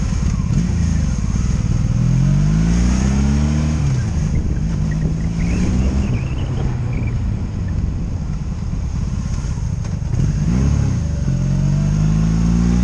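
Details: 2002 Honda Magna VF750C V4, warmed up, on its first non-stop road test after it previously died in gear: smooth rising and falling drone through the gears, no ignition cuts or bucking; smooth running.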